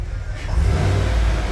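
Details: 2015 Cadillac Escalade 6.2L after repair of a misfire (flashing check-engine light, code P0300, newly installed engine) and clearing the code: deep V8 rumble swells as it pulls away, running evenly with no stumble.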